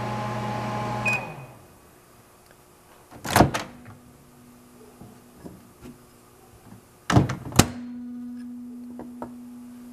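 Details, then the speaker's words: 1988 Sharp Carousel II microwave, no turntable, running a fluorescent-tube test; the tube lights brightly, so it is producing microwaves. Steady low mains hum while running, broken by door and latch clunks; normal operation. "So if the microwave works, that fluorescent tube ought to light up. As you can see, there's plenty of light off the tube"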